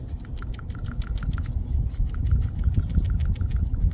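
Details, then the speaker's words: Old PCV valve from 2008 Honda Accord 2.4L four-cylinder that consumes oil, shaken by hand after removal; quick light rattle about five clicks a second, louder than new valve; plunger free, not judged cause of oil consumption (replacement didn't fix). "Typically, a bad PCV valve won't make any noise when you shake it. Since this is making noise, I'm going to assume that it's not the culprit of the oil consumption."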